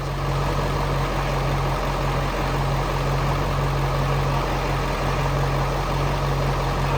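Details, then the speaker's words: Ford 7.3 Powerstroke diesel truck idling after coolant was bled, pulled out of the barn to keep running: steady deep diesel clatter at even idle, no misses, knocks or surging; intake leaks still to be sealed. "So we're just gonna pull this out so we don't smoke out the barn and just run it for a little longer."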